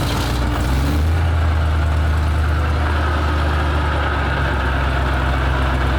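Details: Petrol military vehicle started with starting spray while cranking: the big engine catches, briefly uneven, then settles into a steady, low-rumbling idle, running cleanly.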